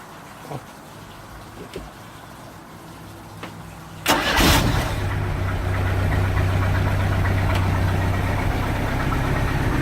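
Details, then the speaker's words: 1986 Sea Ray boat engine after a fuel line leak fix: cranks and catches at about four seconds, then settles into a steady, even, smooth idle with no stumbling, misses or shaking; previously idled rough. "man that's like that my night and day from what it was that smooth it's not shaken"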